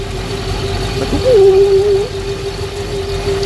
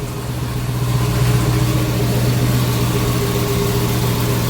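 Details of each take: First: Twin-turbo Hellcat V8 with single Comp Cams cam, lumpy idle with a steady hollow hum from the turbo manifold, present since the manifold was first fitted; cause unknown, owner assumes it's just the manifold's sound. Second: Custom twin-turbo Hellcat V8 with single Comp Cams cam, cold start: deep, steady idle with an even low rumble, no knocks or misses, faint turbo whistle and some manifold noise on top; normal cold-start idle.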